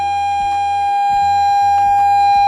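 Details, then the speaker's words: Repaired Scuola Radio Elettra SRE 412 modulated oscillator tested next to an AM radio on medium wave at the same frequency with internal modulation: steady high whistle at one pitch over faint low hum; clean modulated tone. "dovremmo sentire un fischio proveniente dalla radio. Qualcosa si sente."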